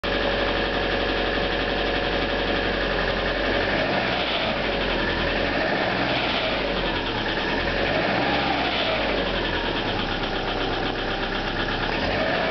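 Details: 1997 Subaru Outback with an EJ25 flat-four at idle: a dull, uneven knock under the engine noise; the owner attributes it to piston slap.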